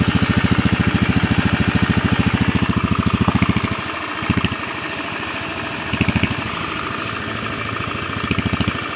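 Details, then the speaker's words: Honda Beat FI scooter after engine rebuild; it previously ran rough and growling, diagnosed as worn left crankshaft bearing. Even, regular firing at steady idle, then clean light throttle blips; smooth, no growl, healthy engine. "Nah ini bosku ya, hasil akhirnya bosku ya, halus bosku suara mesinnya. Jadi nggak ngorok kayak kemarin ya, rok kayak gitu. Oke, halus suara mesinnya."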